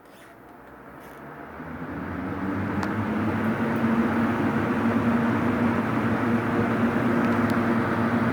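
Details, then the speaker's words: Vintage seven-blade Hunter box fan, started on high speed. A soft airy whoosh builds, then holds steady with a faint low hum; normal, quiet running. Low speed is slow when first started because it needs oil. "low speed runs really slow when you first start it up because it needs oil obviously but once it's been running for a while it speeds up a little bit still very quiet it moves a nice gentle breeze"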